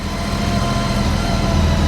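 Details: Honda Goldwing 1800 flat-six idling just after an oil and filter change, on a hot day: smooth, even low hum with a steady beat, no knocks or ticks; sounds smoother after the oil change; normal idle.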